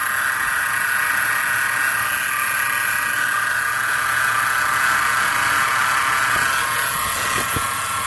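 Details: 2010 Chrysler Town & Country minivan, factory crate 3.8L engine with about 30,000 miles, sudden-onset noise: constant whirring whine pulsing about four times a second; owner suspects alternator or a sticking pulley, unconfirmed.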